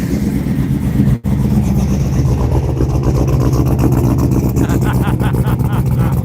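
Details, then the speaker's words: 1992 Chevy C1500 LS1/T56 swap on its first start, standalone harness and no radiator, after the fuel pump was primed several more times: the V8 rumbles unevenly and hunts, revs climbing and sagging, with what is assumed to be header smoke; unstable idle and surging revs. "crap it's having a hard time controlling it but I'm going to call that good she runs"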